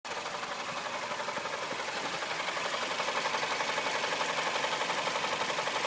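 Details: 2008 Mazda CX-7 at idle: crisp, regular tapping about four times a second, steady and even throughout; a knock inside the engine.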